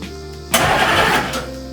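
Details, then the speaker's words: Cranking a 6.5 turbo diesel HMMWV with all glow plugs reinstalled, camera near the starter and flywheel: starter engages sharply, strong even cranking with no rattle or binding; earlier rattle likely from plugs being out; normal cranking. "that time sounded great. Maybe just with all the glow plugs out, I was getting more rattle, but yeah, sounds good."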